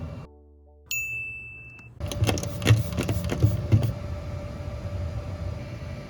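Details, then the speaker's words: Mercedes-Benz R107 first start after a DIY exhaust repair with a new ANSA center muffler and JD Weld, following a leak test: the engine cranks, catches and settles into a steady, even idle with no puffing or ticking at the exhaust joints, leak free. "and listen to that the car is running great and leak free"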